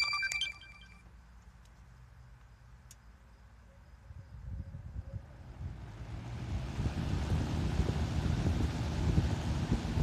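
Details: Restored vintage box fan, motor marked possibly SKS 45 and rated maybe 1500 RPM per the owner, run on high after the blades were refitted. A soft whoosh of air builds and stays smooth and even, with no ticking, rubbing or rattle: running normally.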